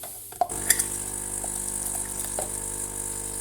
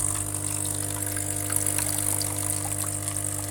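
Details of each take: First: Saeco Incanto espresso machine after repair of a leak: after a few clicks the pump settles into a steady even hum with no trickling water, brewing normally. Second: Recently refurbished Saeco Incanto espresso machine losing a lot of water during brewing, leaving big puddles and a soaked rag underneath. Steady pump hum with water trickling and splashing inside the machine, from an internal leak at a failed seal.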